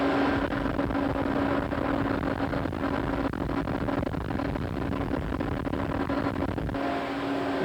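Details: Smooth, even low-pitched drone with no knocks or grinding from the gear reducer on a coke pulverizer mill fed by a gravimetric belt feeder and driven by a 300 hp Siemens-Allis motor; the reducer is running normally.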